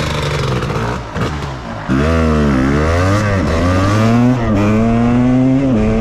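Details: 1998 Suzuki RMX250 two-stroke, previously overheated and lost compression, reassembled with pitted cylinder not rebored: crisp ringing buzz revving up and settling cleanly, even firing, no knock or rattle.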